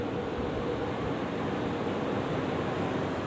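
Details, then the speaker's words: Split wall AC indoor blower fan that had stopped turning (no cooling, outdoor compressor also not running), after repair, set to the fastest booster speed: steady even rushing airflow with no rubbing, ticking or wobble; it runs smoothly, a normal high-speed run. "nah semakin keras putarannya suaranya juga ngasih halus"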